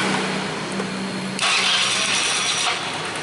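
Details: Honda Vario 110 carburetor scooter previously hard to start after ignition/regulator replacement, after fix: starter whirs briefly, engine catches cleanly and settles into steady idle; charging reads about 13.2 V, healthy start.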